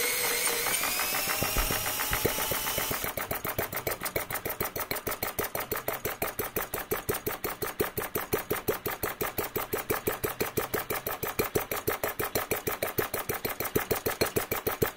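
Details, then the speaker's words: Enginediy Retrol model four-stroke petrol engine, drill-started, simple carburetor with unpressurized fuel: slow, sharp pops about six a second, loping and picking up then threatening to die; running super rich and near stalling. "You can hear that sweet spot where it keeps on picking up, keeps on sucking fuel, and keeps on firing you, but now it wants to quit."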